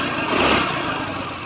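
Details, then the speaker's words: TVS Jupiter scooter after carburetor fuel and air pipe work for poor mileage (25): starts on the first kick, then idles with an even, steady hiss and rumble and no knocks or misses. "चलिए हम start करते हैं। अब देखें बिल्कुल एक kick में ये स्टार्ट हो गया।"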